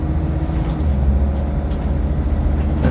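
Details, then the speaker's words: 2001–2006 Dodge/Mercedes Sprinter diesel that had a Y93 fuel valve no-start, now running: steady, deep diesel clatter at an even idle with no misses, knocks or surging; healthy. "the sound of a heavy healthy diesel."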